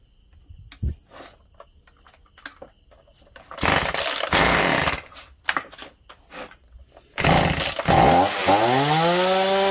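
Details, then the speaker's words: Chainsaw started and run unloaded, lacking power; revs sag suddenly and recover, surging caused by a dirty, clogged carburetor needing disassembly and cleaning. "มันจะวูบวูบนะครับเดี๋ยวคงต้องรื้อคอบูดูนะครับ"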